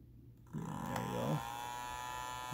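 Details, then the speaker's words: Energizer USB-C laptop power pack/portable power station: cooling fan spins up with rising whir and raspy buzz; owner suspects something touching the fan blades. "so with this energizer portable power station there's a weird noise i think there's something touching the blades of the cooling fan because when you turn it on"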